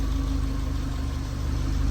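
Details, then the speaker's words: Manual-swapped VW Mk4, warm and holding temperature at idle in neutral: steady, even low idle with a smooth firing beat, no knocks or misses; sounds healthy. "because this thing this thing sounds so healthy I'm pretty stoked"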